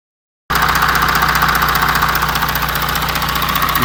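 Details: 2016 Audi Q7 4M 3.0 diesel (CVMD), about 170,000 km, warm idle, heard from the oil filler-neck side. A fast, regular knock rides over the clatter; engine knock of unconfirmed cause, timing chain stretch being checked.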